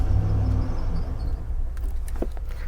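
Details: 2013 Chevrolet Silverado: cycling key from off to on then back off makes the engine crank, no codes; steady low running with no shutdown; engine still starts with a wire unpinned, so another signal tells the BCM to crank.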